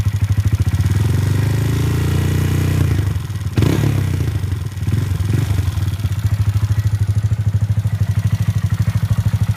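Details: 2015 Honda Grom with Takegawa 181 S-stage big bore kit and performance camshaft idling with loud, fast clatter about three ticks a second, masked by throttle blips; owner tightened valve lash beyond factory spec, quieter but not perfect, will try heavier oil.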